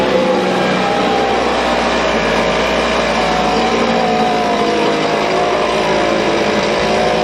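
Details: Husqvarna 125BV leaf blower after clearing a blocked fuel passage in the carb and fitting a new filter. A steady, even high-pitched two-stroke drone with no surging or stumbling, holding a constant speed: normal running.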